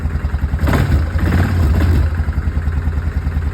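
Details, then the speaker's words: Yamaha Kodiak 450 ATV with new starter solenoid fitted after no-start (old one wouldn't pull in): catches and settles into a steady, even low-thrum idle with no misses or knocks; normal idle. "So we have the new start solenoid installed. Battery hooked back up. Old one had power going to it, but this wouldn't pull in. Let's see if we'll start up."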